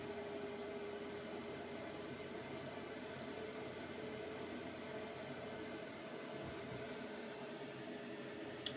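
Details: PC CPU fully loaded by crypto mining: a quiet, even rushing hiss from the cooling fan spun up hard with no rhythm, the cooler working flat out.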